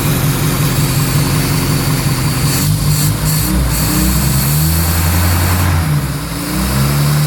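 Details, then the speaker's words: 1968 Austin 1100 Mk1 A-Series, first start after 3-4 months and mechanical work, a little choke, carb on initial settings, about 18-19°C, roughly 1400 rpm: steady, even fast idle with smooth burble, no knocks; normal fast idle. "and that's how a series are supposed to run"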